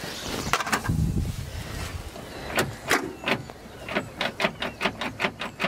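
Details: Logging skidder found full of water, in park, starter bumped: brief starter bumps, then about ten short, even cranks a second apart. The engine turns freely and is not locked.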